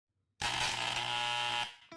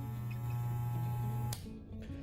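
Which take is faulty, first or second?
first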